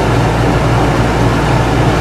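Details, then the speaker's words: Whynter ARC-14SH 14,000 BTU portable air conditioner, cooling mode with the compressor on, fan lowered from full. Decibels barely drop, since the three fan speeds differ little with the compressor running. Steady low hum, no rattles or surging. Normal running. "yes the decibels did not go down very much little bit less yep there's a cooling mold is a difference in noise level between the three fan speeds is three not very noticeable when the compressor is on"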